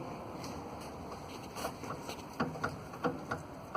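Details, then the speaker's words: Ford EcoSport with Rocam engine, body rocked: sharp irregular knocks from the suspension, caused by a broken sway bar link. "tem uma famosa eco esport motor rocam e ela está fazendo barulho na suspensão bem aqui ó na linha da onça melhor fazendo o balanço ela já a nokia já faz um barulho chato"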